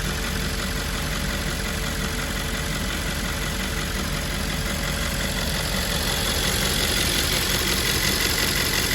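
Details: 2010 Audi S5 4.2 V8 idling after fuel purge valve replacement: even, steady idle with smooth hum and no ticking or knocking; engine sounds healthy.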